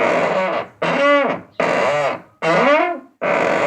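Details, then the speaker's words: 2010 Volkswagen Voyage (Gol G5), one door only: loud groaning creak rising and falling with each opening and closing, unresolved by penetrating lubricant; worn door check strap inside the door. "Na verdade é uma peça que não deixa a porta ir mais pra fora, ó. E faz esse barulho."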